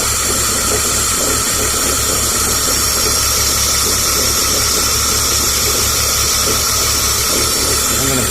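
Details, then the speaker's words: 2003 BMW 325xi (2004 elsewhere) idling with an occasional misfire at idle and Bank 1/2 control-deviation lean codes: loud steady hiss from the back of the intake, an induction vacuum leak. "the sounds like this thing is that our vacuum we can hear hissing noise in the back area of the intake - right most definitely"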